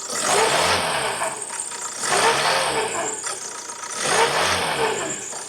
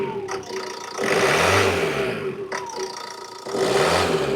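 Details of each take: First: 2012 Ford Transit Connect diesel revved to about 2,000 rpm, heard from underneath: a whirring woo rising and falling with revs over the clatter; worn alternator bearing suspected, and the alternator casing has a big split. Belt to be removed to confirm. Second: 2012 Ford Transit Connect, fuel pump/accessory belt removed, alternator casing found split (likely loading its bearings): engine revved with two clean blips rising and falling smoothly, no whine, chirp or rumble; engine itself quiet and normal.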